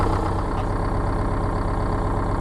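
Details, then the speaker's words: Rear-engine Bluebird bus diesel with manual transmission, in neutral, started from the rear panel on a cold day after sitting in a salvage yard: deep, steady idle with an even low rumble, no knocking or surging, sounds healthy. "I just had to show you this man this thing sounds sweet considering she sat in a salvage yard for a little over"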